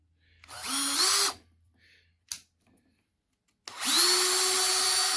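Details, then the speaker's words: Bosch 18V cordless drill after gearbox replacement for failed gear-head bearings, run in high and low gear: clean motor whine rising quickly to a steady even pitch on two runs, no grinding or rattle; drill running normally. "okay got the battery in and we've got a working unit again"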